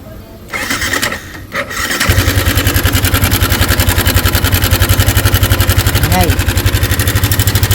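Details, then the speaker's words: Yamaha Sniper 155 with its stock cam chain tensioner, not yet disassembled, idling: quick idle with a busy metallic rattle over every beat from the failed tensioner. Too noisy to keep using, and the timing could jump. "So ganun yung tunog ng tensioner pag nasira. Maingay po siya, hindi natin siya pwedeng gamitin na."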